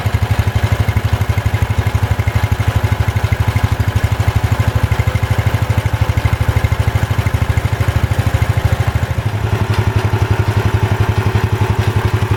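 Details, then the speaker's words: Ford 100 garden tractor with a Kohler single-cylinder engine, first start after the carburetor was adjusted: a steady, even putt with no misses, running smoothly after blowing carbon out of the exhaust. "Well, this old Kohler runs pretty nice."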